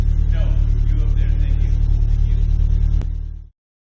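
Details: Toyota MR2 2nd-gen 3SGTE after head re-torque, valve clearance check and ticking fix: steady deep note, even firing, slight rev, no ticking or exhaust puffing; runs clean after repair.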